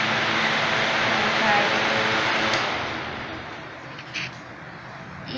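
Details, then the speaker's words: Pedestal fan that barely blew air, after new bushings and cleaned propeller: steady airy whoosh from the blades, no scraping, drag or wobble; spins freely and cools, normal fan running. "یہ ہو گیا، یہ گھومتا اور ٹھنڈا ہو جاتا ہے۔"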